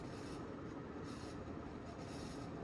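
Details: 1992 Sears Roebuck 42-inch Hugger ceiling fan, model 689 11438, on high speed drawing 0.41 amps; steady whoosh with constant gritty rasp and faint squeal; dry worn motor bearings.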